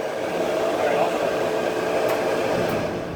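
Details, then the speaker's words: Kenmore 80 Series electric dryer after motor replacement, run on time dry: a steady, even whir with a mid-pitched hum and no knocking or scraping. The drum and motor run healthy. "Okay, moment of truth. We're on time dry, just because we don't want any heat. Okay, we're ready to go. It's running."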